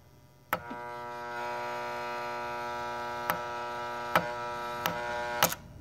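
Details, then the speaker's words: Keurig K150P solenoid valve while diagnosing a suspected faulty board: a sharp click, then a steady electrical buzz for about five seconds until a final click; the valve is sticking and hangs up before closing. "here it is it closed up so there's some hang up in there that's causing the valve to get stuck so here let's attempt that again so when it close it closes it it stops with the buzzing"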